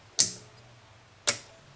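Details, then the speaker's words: Known-good 120 V AC relay energized on the bench gives crisp, clean snap-action clicks with no vibration or buzz, shown for comparison with the aged relay RY301 that chattered in an EF Johnson 500 transmitter power supply. "nice snap action no vibration this is a good relay"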